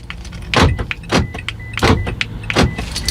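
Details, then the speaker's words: 2017 Toyota Camry door locks actuating after remote key programming, door closed: four sharp clunks about half a second apart; the newly programmed remote locks the doors normally. "Now, let's see, lock. I hear it make noise."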